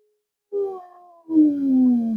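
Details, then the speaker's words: Hallicrafters S-76 receiver during restoration alignment, signal injected at L7 pin 1: BFO heterodyne whistle sliding down in pitch to a low growl, then vanishing at zero beat as the BFO is turned counterclockwise. "you hear the noise the the oscillator getting there or the petrine getting lower so you probably can't hear that it's growling very low now it's gone completely"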